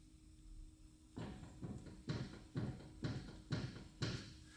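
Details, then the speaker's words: 2003 Toyota Tacoma, wheel raised and rocked at 3 and 9 o'clock: sharp, regular clunks about twice a second showing large play; worn outer tie rod end. "there is huge play and in this case we are talking about outer TI rod or Tyro end"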